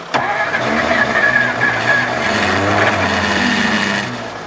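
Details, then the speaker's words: 1954 Ford Crestline Skyliner being started on jumper cables, with the narrow points gap opened slightly and the choke fully closed. A weak starter cranks briefly, then the engine catches and runs roughly; hard starting, engine catching; carburetor rebuild likely needed. "Guys, I think she'll run. I had the choke fully closed on it."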